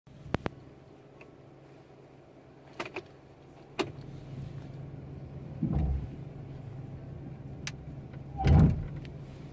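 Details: 2015 GMC Sierra, noise just started when applying the brakes: low engine hum broken by several short, deep groaning bursts and a few sharp clicks as brakes are applied.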